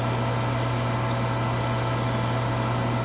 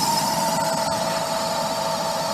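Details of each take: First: Vintage Harmon fireplace-insert pellet stove, long stored in a garage, first test run: low steady hum with even whir and no grinding or clicking as the feed motor runs and pellets start feeding in; normal. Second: Vintage Harmon pellet stove, long stored, retested after blowing out dust: steady high-pitched whine over even fan rush; exhaust fan motor running but kind of noisy.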